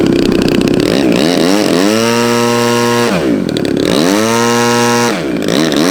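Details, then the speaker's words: RC plane engine test run after a hard landing that smacked the tail: clean buzz revving smoothly up to a steady high note and back twice, no misfire or rattle; runs fine. "Start it up real quick. Let's see. Make sure it works."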